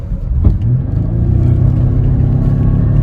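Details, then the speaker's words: Buick Lucerne GM 3.8L climbing a hill at wide open throttle: an uneven, stumbling rumble with a sharp pop and an intake backfire. Misfire caused by a weak waste-spark ignition coil pack (junkyard coils); it idles fine off throttle. "so what happens when you kick that throttle blade open and it takes a big gulp of air the resistance for that spark to jump the Gap goes a lot higher and it requires more voltage"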